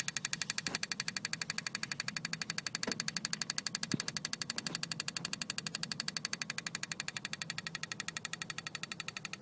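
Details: BMW E36 320i, engine off, ignition key in position 2: crisp, very regular ticking about four times a second in the engine bay, stops in key position 1 or 0; cause unknown.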